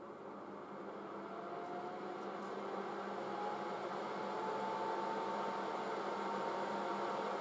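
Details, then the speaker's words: Late-1960s GE HD-8C bonnet hairdryer switched on, running on hot; smooth, even fan whir that builds gently and settles, quiet with no rattle or squeal; normal running. "pretty damn quiet have a listen to this solo that's the heat yeah it's quite warm on hot"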